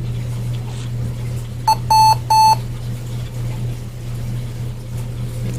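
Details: HP Pavilion dv2000 laptop at power-on, no display: over a steady low fan hum, one long and two short beeps then silence; POST beep code.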